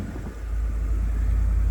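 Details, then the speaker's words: Salvage-auction vehicle with a 550 V8 that started right up despite deployed airbags and a lit traction control light: a deep, even idle rumble with no knocks or misses, sounding healthy. The battery had popped out of place. "sounds healthy yeah buddy 550 V8 that's what we want looking good sounding good"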